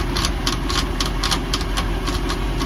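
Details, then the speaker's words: Mercruiser 5.0 MPI marine engine, first start with the water on: fuel pump priming, then a steady idle with a light, quick tapping about four times a second from the power steering pump, which has been leaking. "That sound you hear is the fuel pump priming. That tapping sound is the power steering pump."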